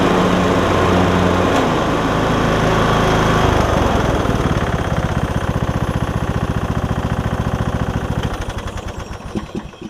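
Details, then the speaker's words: MTD Craftsman LT2000 mower after fixes. Steady single-cylinder run that winds down near the end; deck belt turns slowly at lower throttle settings, cause unknown, owner considers reworking a pulley. "you can probably hear that the belt was not turning very fast whenever i had it on the lower settings i don't know exactly why"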